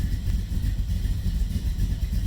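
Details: 1990 Camaro, SBC 350 V8 with Vortec heads, Holley Sniper EFI, Flowmaster mufflers, after head gasket replacement, cold start after sitting a week: deep, steady rumble at fast cold idle, even pulses, no knock or miss; healthy.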